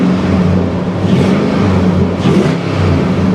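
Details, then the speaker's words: Nissan Armada, possibly 5.6-liter, warm day: deep, even V8 note with a steady low hum and clean rises in pitch on the revs; engine sounds healthy, normal running. "That sounds really good."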